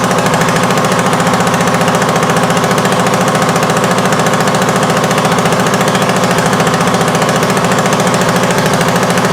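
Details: 1979 Honda XL500S, first run after acquisition, kickstarted, carb overflowing from bad float needle: loud, sharp popping bark on every firing, fast and steady; massive exhaust leak near the head, patched with a leather glove.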